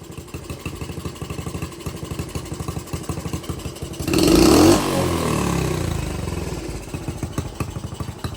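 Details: Honda CT70 after a carb swap (different pilot, likely bigger carb), air/fuel screw adjusted after running rich and smoking: even single-cylinder putter, one throttle blip returning to a steady idle; mixture now well set.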